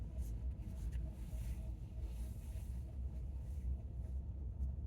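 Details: 2019 Chevy Bolt on slow left turns in a parking lot at 50°F: only low steady road rumble, no creak or groan. The creaking happens only on low-speed right turns, mostly as the steering wheel straightens back.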